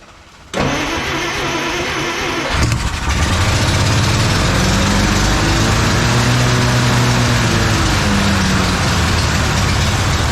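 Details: 1956 Plymouth Savoy 277 Poly V8, first start after sitting, fuel pump fed: cranks briefly, fires and settles into a fairly even, rumbling idle with a slight blip; runs fine.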